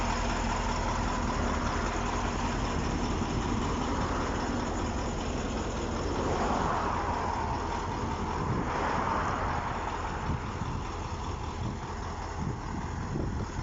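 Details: KamAZ-6520 chassis diesel idling after first start following major overhaul; steady, even low rumble with no knocks, misses or rattles, running clean.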